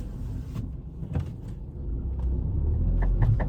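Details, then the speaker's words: Tata Tiago, customer complains of clicking when steering turned left and right: at idle, a run of quick "tak tak" clicks when steering at full right lock; worn CV joint, drive shaft to be reconditioned. "இத பாருங்க டக்கு டக்கு டக்கு டக்கு டக்கு டக்கு வருதுங்களா? So ரைட்ல ஃபுல்லா உடைச்சா வருது."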